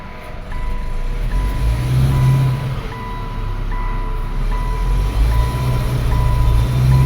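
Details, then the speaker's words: 2013 Subaru Impreza, FB16 naturally aspirated engine, hot, idling in reverse: the idle stumbles and lurches irregularly under a steady chime. An ignition coil is misfiring and another coil does the same; the owner's complaint is stumbling on load. "there we go we've got a nice misfire there and let's view this check this out same coil okay"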